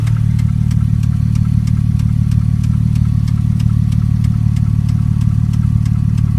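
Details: 2002 Porsche Boxster 5-speed at idle: a sharp, even tick about three times a second over the low engine hum. Owner suspects a sticking lifter or a blown header gasket; cause not confirmed.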